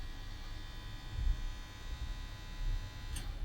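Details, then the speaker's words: Denon CD player that plays but won't eject its disc: on power-up a low, steady motor whirr and hum with nothing engaging, then it stops. Stop, open/close and play buttons do nothing. "ng so I'll plug it in and switch it on oh and it makes a woring noise can you hear that it's now stopped woring stop doesn't do anything because it's stopped open close"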